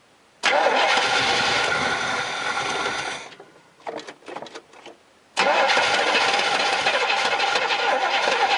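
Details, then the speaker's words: Crank-no-start on an old Z28 Camaro being revived, with fuel drained before storage: two long cranking bursts of fast, rough turning with stumbles, never catching; no gas reaches the carburetor, fed from a gas can; owner unsure if the fuel pump works. "I'm not getting any gas up to the carburetor so it wasn't having any luck getting the carburetor to fill up with gas I don't know if the pump's not working or what"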